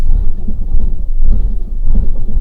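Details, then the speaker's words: 2011 1.2 Lounge Copart project with engine light on: loud, lumpy banging and crashing at idle, missing badly with uneven surges; owner suspects throttle body, coil pack or bad spark plug, worst case compression. Engine misfire. "it's banging and crashing now that could be all sorts of things"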